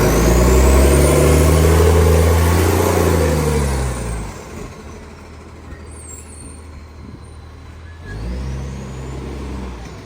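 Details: Garbage truck, 2013, diesel: loud rough drone swelling with revs, harsh raspy chuffing on top; exhaust leak.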